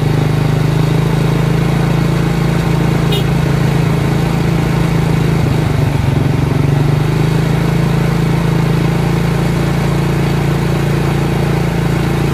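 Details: Honda Karisma/Supra X 125 carbureted single idling after a cam chain replacement with an aftermarket Federal chain: low and steady with an even beat, and the cam chain sounds quiet with no rattle. Normal idle.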